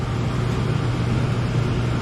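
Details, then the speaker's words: Furnace after replacing the transformer, control board, blower motor and capacitor, and resealing the broken flue pipe and chimney: a smooth, constant low hum with an even airflow rush, no cycling or rattles; normal running. The filter is still missing. "Looking great. We'll let it run for a minute just to make sure everything's intact."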